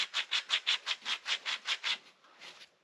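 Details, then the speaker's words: Skoda Fabia 1.6 TDI removed front wheel bearing turned by hand: gritty raspy scraping about 2.5 times a second from worn races, cause of loud airplane-like humming while driving, especially cornering; replaced. "I don't know if you can hear that but I think you can so that's that was that was the main problem with it"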